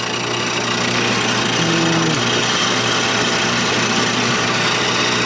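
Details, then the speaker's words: Drum Dokter B-500 brake rotor and drum lathe after engaging the feed gear, set with slight backlash: even, steady motor and gear drone at constant speed with no knocks or grinding. Normal running. "yeah our drive is working okay"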